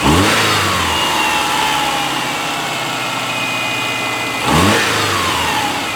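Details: A 2002 Subaru Outback 2.5 runs after its new alternator/power steering belt was fitted, replacing a snapped one, and the bolts were tightened. It fires, revs cleanly twice and settles to a steady idle with no squeal or chirp. Normal running.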